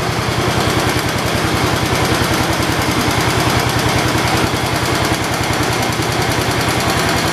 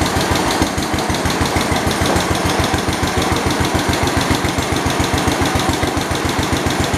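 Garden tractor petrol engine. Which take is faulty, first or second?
first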